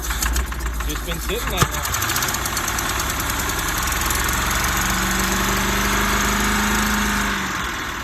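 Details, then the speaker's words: 1977 GMC 6500 truck with 366 big block, cold after about 20 years sitting, smoking from ATF in the cylinders, restarted after pumping the throttle: catches and runs lumpy and uneven, slowly settling toward a shaky idle; rough running after storage. "oh see almost idle wow that's insane"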